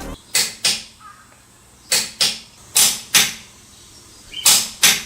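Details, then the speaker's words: TONE T4MN140CH-QL 1/2-inch preset torque wrench (140 N·m) at 110 N·m and lower settings; crisp sharp metallic clicks in quick pairs, six in about five seconds, loud and clean; normal release click. "TONE's torque wrench makes a really good sound . Is it a normal click? TONE's click."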